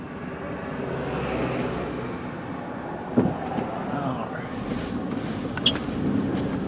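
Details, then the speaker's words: 2004 Chrysler Sebring Limited convertible accelerating through the gears to about 50 mph: even engine and road roar building smoothly with no knocking, ticking or whine, car tracking straight; normal highway cruise. "Alright, there you go, all the way up through the gears, and again, right about 50 miles an hour. It's nice and smooth"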